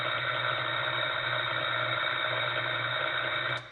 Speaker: The second stage, you may start to hear tracking, and tracking sounds like this.